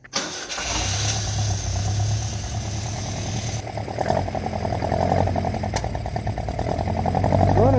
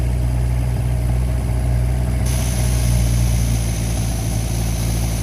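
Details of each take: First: 1952 Singer 4AD Roadster project car, long sat with varmints, first start on old fuel after accelerator pump squirts: starter whirs briefly, catches first try, steady fairly even idle on all four cylinders; 40 psi oil pressure, charging at 12 volts. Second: 1952 Singer 4AD Roadster first start after sitting: steady low idle with a slightly uneven loping beat, no knocks, a little smoke; owner thinks the chokes are stuck on, not confirmed; 40 psi oil pressure.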